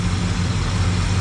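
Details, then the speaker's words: Barn-find car with V8, Holley carb, different manifold, stock dual exhaust: deep, even burble at idle with steady low-pitched firing, no knocks, misses or hunting; runs well. "because it's running it's running well everything works everything's here as you can see and here it's got a nice sound to it in the back"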